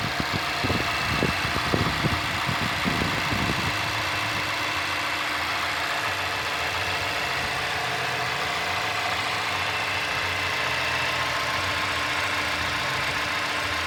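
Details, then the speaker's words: 2017 Mazda 6, 2.5L Skyactiv inline-four, about 20,000 miles, right after start-up: busy fast idle settles within about four seconds into a quieter, steady idle; normal warm-up behaviour. "And just start it up, you'll hear it quiet down."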